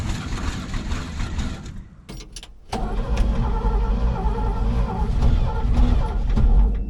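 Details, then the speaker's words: 1970s Chevrolet C-10 Custom V8 sat 30 years, on temporary fuel tank and jump starter: slow labouring cranking, brief lull, uneven cough-like pulses, no sustained firing; fuel starved, crushed fuel pump line. "So I'm taking a look at this fuel pump here and this line going to it, and you can see how crushed this line is."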